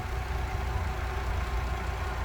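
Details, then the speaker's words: Mercury outboard on Boston Whaler 21 after replacing fouled spark plugs, in neutral, not fully warmed up: smooth, even low idle with steady beat and no misses. "She's not warmed up all the way either, but yeah, listen to that, that's smooth."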